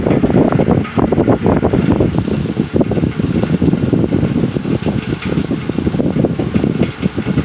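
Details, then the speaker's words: Heavily worn Patton U2-1479 14-inch floor fan on its first test run: airflow whoosh under an uneven rattle and grumble in irregular bursts rather than a smooth hum. The motor bearings are dry and worn and need oil, and the washers likely need replacing. "Those bearings do not sound like they're too happy. So yeah, I think I'm gonna stop right there. I mean, the bearings are definitely in need of oil, but it sounds like those the washers in that thing definitely need to be replaced."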